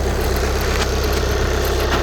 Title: VW CC 2014 2.0TDI CR (140bhp) clicking noise on cold start